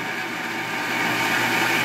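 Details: 1.5 hp water pump with pressure tank and pressure switch, tested after repair: smooth, steady motor hum with an even hiss of water flow and no rattle or surging; running normally.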